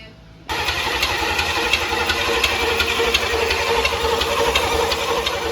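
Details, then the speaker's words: Never-run 350 small-block Chevy V8, built 25 years ago and stored in a barn, first start attempt: the starter spins it in an even churn about three beats a second and it never fires; the fuel pump failed and is being swapped for an electric pump. "So the fuel pump failed."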